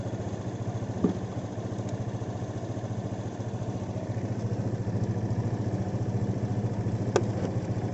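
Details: Honda PCX 150 scooter after its dead-battery no-start was fixed: a steady, even idle at about three and a half pulses a second with no misses or rattles, a normal idle.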